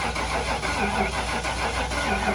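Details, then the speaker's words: 1996 Ford F-250 with a 460 big-block V8, rat-damaged, cranked with starting fluid sprayed in the intake. Steady even cranking with no firing; no spark. "yeah she ain't getting no spark she's got plenty of goat juice"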